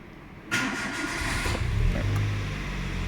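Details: 2008 Renault Clio, short-crank no-start with no fuel or spark caused by immobiliser communication loss from a corroded wiring harness; after the wiring repair, short crank catches quickly into a steady, even idle with no stumble: normal start.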